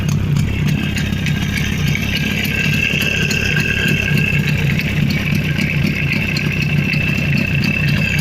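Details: Steady, smooth two-stroke run with a constant beat and no rattles, knocks or misfires from a Jawa 350 type 638 with CDI ignition after full engine rebuild (rebored cylinders, new pistons, restored crankshaft, gearbox repair, new chain, bearings, seals); normal running.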